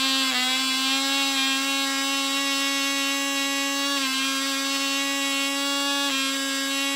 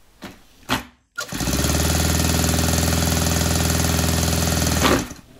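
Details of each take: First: Cox .020 Tee Dee nitro glow model engine on thrust test stand: steady, high-pitched scream holding pitch without sagging or stuttering; about six ounces thrust, runs great; normal running. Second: Saito 100 four-stroke nitro RC engine, rocker covers removed to check valve gap, gets a steady starter drone for about four seconds but never fires; the valve timing is suspected to be off.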